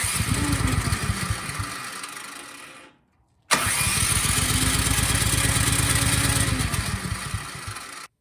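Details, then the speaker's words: Cub Cadet 528 SWE snowblower after carburetor service, tried with the shroud and choke parts off. It fires and sputters unevenly for a few seconds, then dies on both attempts. The carburetor is believed not to be the cause. Engine sputters and dies. "okay this snowblower still will not start after going through the carburetor"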